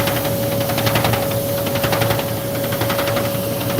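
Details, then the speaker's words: Powder shaker setup: roughly once-a-second knock over a steady hum and hiss as the paddle smacks the swaying part each stroke, making a horrible sound. "Every time it smacks it, that makes that sound horrible."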